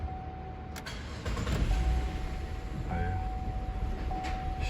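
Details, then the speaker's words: 2012 GMC Acadia with code P0689, ignition relay feedback circuit low voltage, after the fuse is replaced and feedback returns to 12 V: a quick crank catches and settles into a steady idle with a chime; starts normally after repair. "هذه السيارة اشتغل. بس خلونا نمسح العطل. اشتغلت السيارة."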